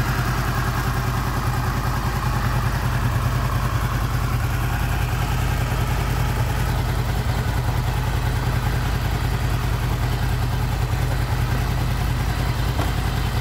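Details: Honda VFR800 VTEC V4 with 58,200 on the odometer, after timing chain replacement, warmed to about 43–50 °C: steady, even idle with a smooth low pulse and no knock or tick; normal warm idle.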